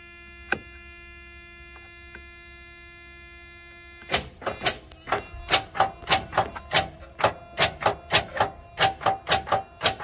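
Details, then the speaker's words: 1987 Freightliner FL86 cabover with Big Cam Cummins: rapid clicking about three a second, starter solenoid chattering but starter not engaging, with a second solenoid heard elsewhere; mouse-infested truck with electrical problems. "hear two solenoids. I hear the one on the starter not doing anything, and then I hear it clicking, but it's not engaging."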